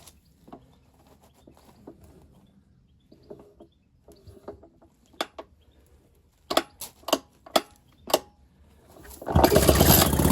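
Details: Ner-A-Car single-cylinder engine, first start after a rebuild, choke on with a little throttle. A few sharp pops and coughs, then it catches and settles into a steady, strong run: normal running.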